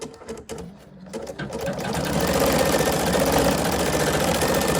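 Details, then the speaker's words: Husqvarna Viking Sapphire 85 embroidery machine stitching a test name design: fast regular clatter about four stitches a second, dragging and rattly yet even; normal sound, nothing breaking. "And for most of you, if you're not used to like an embroidery machine, it does sound like the machine is sort of breaking all the pieces. It sounds like it's just dragging. But I promise you it's not. It's just the sound of it."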